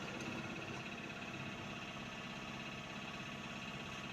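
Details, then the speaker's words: Hyundai Xcent diesel that knocked, started poorly, smoked black and lacked pickup; jammed injector nozzles cleaned, yellow warning light cleared by scanner: steady even diesel clatter at idle with no knock or miss. Normal idle. "अभी scanner लगाया था तो इसमें जो इसमें light ए रही थी yellow colour की वह डिलीट हो गई अब गाड़ी भी ओके हो गई है"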